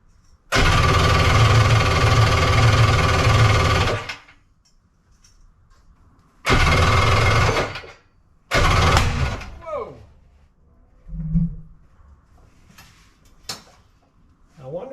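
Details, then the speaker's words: 1100 triple two-stroke X2, first fire-up, priming into one cylinder only, fitted with a 750 stator cover: short ragged bursts that cut out and backfire between tries; ignition timing suspected off. "I'm using oh I'm not using an 1100 stator cover I'm using a 750 stator cover the fact that a backfired is worrisome"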